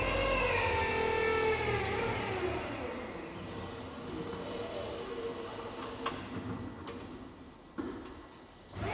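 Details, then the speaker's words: JLG H340AJ boom lift during the oscillating axle test after the miswired axle lock valve and switch connection was corrected: pump hum and whine as the axle oscillates, with hydraulics kicking on to hold pressure in the two cylinders; normal. "The interesting thing with this that I notice now, as the axle oscillates, you'll hear the hydraulics kick on to keep the pressure up in those two cylinders."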